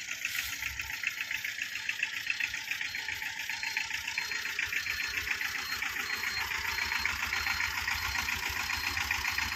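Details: 2012 Tata Ace diesel, two owners, engine in very good condition, full wiring work done: even diesel clatter at idle with a regular ticking rhythm, no misses or hunting; healthy idle.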